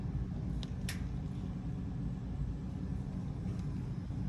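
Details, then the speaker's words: Whirlpool washer in spin: lid locks, motor gives steady low struggling hum but tub never spins; bad start capacitor. "Lid locked for a moment. It did not spin. Sounded like the motor was struggling."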